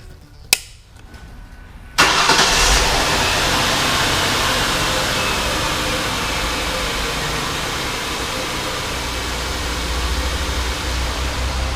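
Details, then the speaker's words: 2003 Ford Taurus 3.0 V6 after new spark plugs and wires for a misfire: a sharp click, engine catches at two seconds and settles into a steady, smooth, even idle. "it feels like it's running really smooth. purring. I think it's pretty good."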